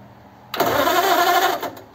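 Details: Model A roadster's engine with Holley 2100 carbs, primed with fuel after a year under a tarp: about a second of steady starter whirring, no cylinder firing, then it stops; cranks but won't start, owner suspects corroded points.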